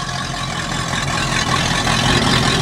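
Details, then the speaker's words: Four Winns boat engine running again after long storage, water pumping: deep, even rumble that holds steady with no misfires, surging or knocking; idling smoothly, normal running. "engine running you'll deliver idling smoothly and while we were away with the searay firing up caleb got the four wins running again he's got water he's pumping"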